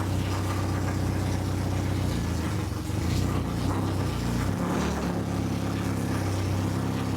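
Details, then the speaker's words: Honda H22 swapped into a Civic on a FuelTech FT450 standalone ECU, first start with no exhaust: loud, steady low rumble, idle slightly low but even. Water temp cold (about -4 shown), so the idle screw may need raising; otherwise normal. "I need to probably get the idling screw up a little bit, and then. But the water temp is also cold."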